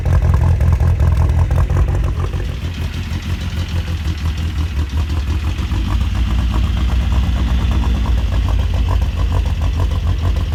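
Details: Ford Escort RS Turbo started after years of sitting, using a temporary fuel pump; engine catches and settles into a deep, steady idle with no misses, normal idle.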